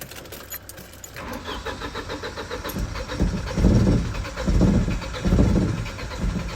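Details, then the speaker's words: Car that sat a long time: jump-started, ran, dropped idle and cut out, now cranks with slow uneven churning but never fires; ignition works but seemingly no spark; owner suspects distributor part (being replaced). Cranks, will not start. "the ignition's working it's just like it's not sparking to start up"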